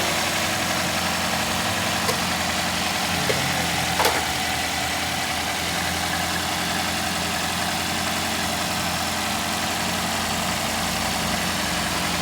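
Even, steady idle with no tapping from the top end, just a couple of faint clicks early; valve clearances sound right.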